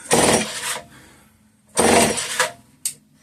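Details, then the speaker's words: Homelite 150 chainsaw: two long pulls and a short third one, cranking but never firing; fuel pours out the other side, and a bad crank seal is suspected but unconfirmed. "I think with the way the fuel's pouring out the other side, bad crank seal for sure."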